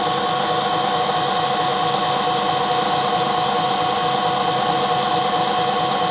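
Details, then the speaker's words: 1 HP Bridgeport R8 milling head on a converted planer, 5-inch 45-degree face mill, slower speed, light finish pass on bar: steady hum, clean high ring, no chatter; cutting smoothly. "I'm running a lot slower than I was speeding before and very nicely and I chose to go with a 45 degree cutter instead of a 90 degree"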